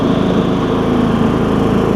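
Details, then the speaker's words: John Deere E100 mower, 17.5hp Briggs, 81 hours, after camshaft replacement (Briggs 793880 kit) for hard starting: steady, even single-cylinder putter at low idle, no misses or knocks; cold-starts right off, runs, drives and cuts great. Normal idle. "down good I mean everything you expect for a mower with 81 hours on it nothing crazy wheels are aligned runs good drives good Cuts great"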